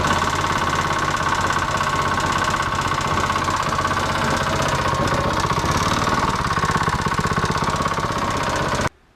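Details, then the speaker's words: Predator 212cc single-cylinder engine, knocking getting worse recently, metallic debris in the case: loud rapid metallic knocking about three per second until cutoff; owner suspects valves out of spec, cause unconfirmed before teardown. "It's making a knocking noise, which you'll hear, well, a little clip right now."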